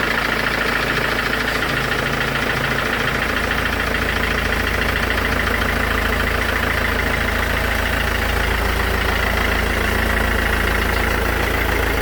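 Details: Mercedes S212 E 220 CDI diesel idling with a regular clacking tick about three per second over the engine; cause not yet identified.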